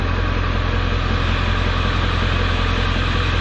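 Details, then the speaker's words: 1995 Ford F-250 7.3L Power Stroke diesel idling normally: steady, even clatter with no misses, after a new glow plug relay cured a no-start that dated from before storage; slight smoke from the exhaust. "7-3 power stroke with a new blow plug relay cheered that no start issue right there she's a little smoky back there in the back end but"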